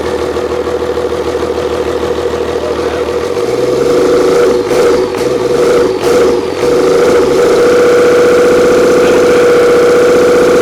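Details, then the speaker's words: Old 12-valve Cummins diesel stored for almost a decade, first start after freeing a seized fuel solenoid. A few cranks, then catches and settles into a steady, even diesel idle with a light whine on top; doesn't sound bad. "oh yeah it's alive you turn clip that key off smell the conditioner oh yeah powered by Bobcat actually don't sound bad"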